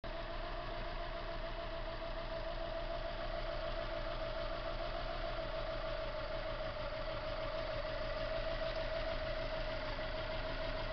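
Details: Subaru EJ22T engine misfire with a dead cylinder: low, uneven, lumpy loping idle under about 750 rpm; unplugging cylinder 1 plug changes nothing.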